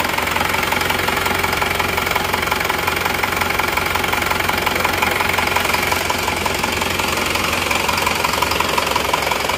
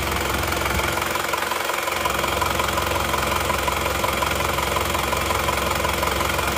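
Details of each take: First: Isuzu Panther LS automatic diesel, rebuilt for the fourth time in seven months, first start: steady, very even hard knocking at idle, about three beats a second, from an oversized 13 mm rotor head in the injection pump. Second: Isuzu Panther LS automatic diesel after swapping the oversized 13 mm rotor head for a racing injection pump rotor head: steady, even clatter about 170 beats per minute, no lumpy miss, much less vibration; normal smooth idle.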